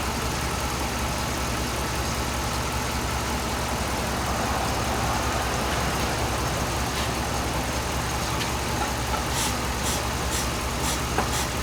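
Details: 2007 Dodge Ram 5.7 HEMI V8 idling while warming up after a water pump replacement; 140°F at the thermostat, coolant still purging air. Even, steady low burble with no squeal, whine or rattle from the engine front. Normal idle.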